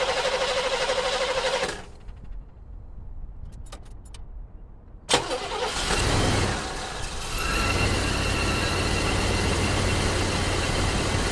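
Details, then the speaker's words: Oldsmobile Cutlass 307 V8 after compression testing and reattaching the distributor: it cranks, catches and settles into a lumpy, uneven idle loping about three times a second. The engine is still shaking, and the cause is unknown. "Engine's still shaking, so I don't know what it is."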